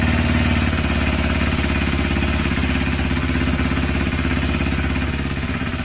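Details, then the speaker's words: Motorcycle after a second carburetor cleaning with a home-made cleaner, during rough carb synchronization: steady even putter about three to four beats a second, light clatter; revs still drop slowly, owner suspects an air leak; normal idle. "pali na dotyk chodzi w miarę równo natomiast słychać że jeszcze nie schodzi dobrze z obrotów"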